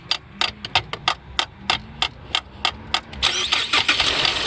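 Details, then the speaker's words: 2018 Ford Explorer that suddenly wouldn't crank, even when jump-started: sharp metallic taps about three a second on the starter with a rod, then the engine spins and catches right away. Sticking starter, freed by tapping. "it's the starter wow 2018 ford explorer why why is it that the starter will be like this barely barely broken in wow"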